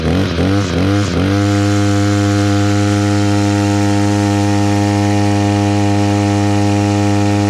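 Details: Echo SRM-266 two-stroke string trimmer after carburetor replacement and idle screw adjustment (it had kept bogging and shutting off): a few throttle blips, then a smooth, steady buzzing idle that holds without surging or dying.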